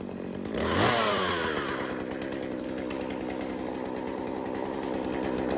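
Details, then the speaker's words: Jonsered 2036 chainsaw, long unused and abandoned, after cleaning and reassembly: it catches and settles into a steady, healthy high-speed run with noticeable chain rattle; runs well. "right, well, she runs good, as you can hear. Everything seems nice."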